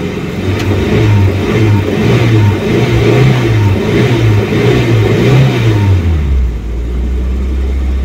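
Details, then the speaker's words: 1989 Ford Pampa CHT cold after kit replacement: rhythmic throttle blips rise and fall cleanly, then settle to steady idle; second stage opening correctly, no bogging, though not yet fully warm. "tá com um barulho bonito ó com a primeira partida frio segundo estágio tá abrindo certinho bom"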